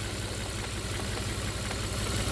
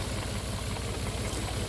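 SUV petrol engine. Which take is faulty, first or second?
first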